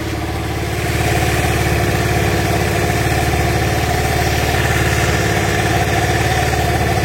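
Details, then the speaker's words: Carbureted Honda Vario scooter started on a cold morning: hard to start, stalls immediately, then idle rpm swings up and down unevenly; owner attributes it to a faulty choke (often a dead choke solenoid), causing high fuel consumption. "Saya nyalakan ini agak susah ya Nah langsung mati lagi Nah pas sudah nyala dia agak ngayun rpm nya"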